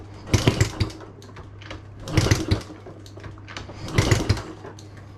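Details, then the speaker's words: Honda Z50A Monkey bike on a CR70 stator: three short cranking bursts about two seconds apart. It spins but never fires, with the carb seemingly not pulling fuel through; the carb also leaks fuel around its sides and needs a rebuild. "doesn't quite seem to be pulling the fuel through still won't start unfortunately"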